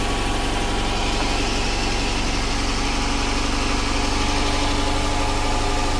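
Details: 2012+ Chrysler 300 after wiggling bad crank sensor wiring to restore 5V reference and clearing multiple codes: steady even idle with smooth low pulse, no stumbles or misses; crank signal present, oil pressure 83 psi, no codes.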